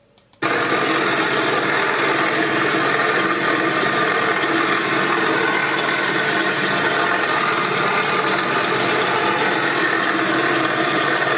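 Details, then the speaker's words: Running car engine with a loud, steady grinding whir, traced to a worn water pump bearing; the car should not be driven until repaired. "dans celle-ci cas c'est un problème avec la pompe à eau, écoute-le, ça dure environ une demi-minute,"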